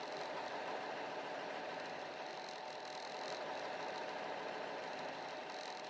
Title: Rough idle